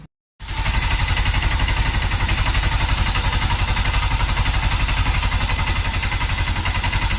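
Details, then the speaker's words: Honda Cargo CG150 single-cylinder bike, rebuilt a month earlier, now idling with a steady, even thump. The earlier noise is gone after removing a bolt and adjusting the timing chain, sensor and rocker arms; the lightly scraped chain guide was not replaced. "Pues ahí ya no hace ruido, el ruido, le quitamos el tornillo, ajustamos lo que es la cadena, ajustamos el sensor y ajustamos nuevamente los balancines."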